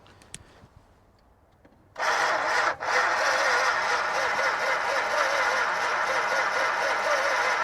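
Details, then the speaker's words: 1962 Chrysler Newport, 361 V8, unrun for 17 years, cranking on added fuel: steady rhythmic cranking a little under three beats a second without firing. Spark reaches the plugs but looks orange; owner suspects it is too weak. "okay there is spark going to the plugs so it wasn't the greatest spark was looked orange so we might just have too weak a spark"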